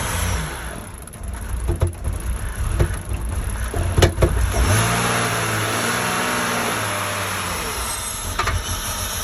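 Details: 2003 BMW Z4 E85 2.5i: irregular sharp knocks over a rough-running engine, then a smooth rev rising and falling; engine knock, source unclear.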